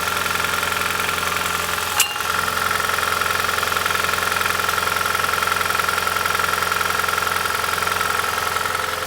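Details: 2010 Prius (3rd gen) morning cold start: even clatter about 160 per minute over engine hum, the "death rattle"; traced to clogged EGR passages with heavy buildup, not head gasket; rough rattling cold start.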